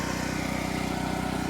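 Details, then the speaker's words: Harbor Freight Predator 8750 generator, started with choke, whose AC output failed (brushes and voltage regulator being replaced): even, steady putter with regular beat and no misses or knocks; idles smoothly. "all right well it starts up pretty easily [Music] runs pretty smoothly"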